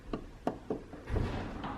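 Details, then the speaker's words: Worn door hinge pins and bushings on a G-body Cutlass door: a few dull, irregular clunks as the door is rocked; bottom pin cracked, top bushing also cracked; both pins and bushings to be replaced. "got movement, and you can hear it. You don't supposed to hear it. But the bushings don't look that bad."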